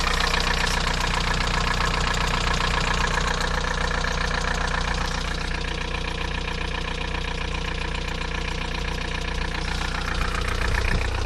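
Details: VW TDI 90hp diesel at idle: steady light tick about 2.5 per second over the clatter, present for 5 months since a 600 km trip; lifters and injectors already replaced, oil pressure OK, different oils tried; owner suspects wrist pin play.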